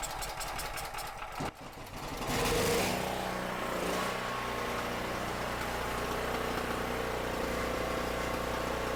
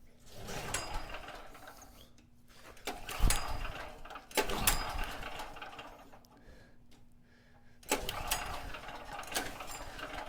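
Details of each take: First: Cheap used generator, 38 hours on it, powering a drill press and lamp at 120 V: steady even drone under load, running clean and smooth; owner thinks a clogged petcock was the only issue. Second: Cheap used generator, 38 hours on it, had been running then suddenly wouldn't start: repeated recoil pulls, short whirring bursts dying away without firing; owner first suspected flooding, cause turned out to be corroded on/off switch contacts giving no spark.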